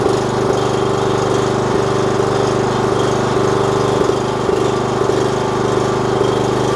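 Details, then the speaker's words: 4 kW generator under repair, running unloaded: steady even hum with constant tone, no hunting or misfire, reading 52.3 Hz at 250 V, voltage a bit high from capacitors; load test still needed; normal running. "here we go I don't know if you can see that 52.3 Hertz you see that at 250 volts bit high but it's the way the um capacitors are"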